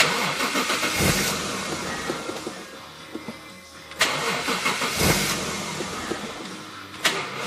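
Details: 1JZ engine cranks repeatedly in bursts, starter spinning the engine, but it never catches or runs; crank no-start.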